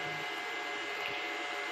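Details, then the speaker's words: MPPT solar inverter/UPS at home with battery attached, morning: steady airy hiss with faint high whine tones that never lets up; cooling fans run continuously. "पहले मैं आपको बता दूं कि बाज़ इन्वर्टर्स ऐसे होते हैं जो कि कंटिन्यूसली फैंस को रन करते हैं।"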